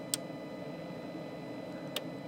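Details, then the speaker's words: ARB Linx system relay in the engine bay, triggered via Bluetooth controller when an accessory (light bar/spotlight) is touched: two crisp light clicks about two seconds apart over a quiet hum; relay pulling in normally, ruling out the relay. "at least you can hear that the relay is responding to the controller and that's engaging. And you can check your accessories that way, and that will kind of rule out any sort of issues that you might be having further down the line."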